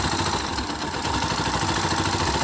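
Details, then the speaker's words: 2018 Bajaj Pulsar NS160, started after standing unused a long time: rapid even knocking from inside the engine over the idle at every crank turn; owner suspects piston and crank, cause not confirmed. "अब engine से एक सांड आ रहा है इसमें और अभी तक यह घाघरा पिस्टन और प्रैंक में दोनों में शामिल है"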